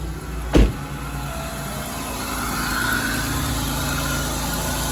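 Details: Car just jump-started with Schumacher SL1519 1500 amp lithium jump starter after hazards drained battery, A/C on: short click then steady, even low idle, no knocks or misses; running smoothly.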